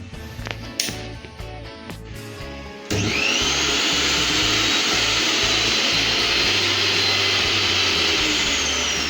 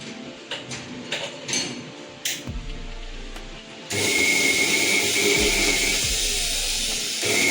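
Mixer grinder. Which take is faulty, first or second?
second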